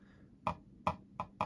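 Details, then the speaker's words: Zowie U2-DW mouse on an Artisan Hayate Otsu V2 pad gives five sharp plasticky snaps, one each time it lands after a lift. Two other mice set down the same way stay silent. Owner suspects the top click plastic is interfering with something. "U2 だけこんな感じで音が鳴ってしまっております。もうおそらくこの上のクリックのプラスチック部分がどっかに干渉してしまっているのかなというふうに思っています。"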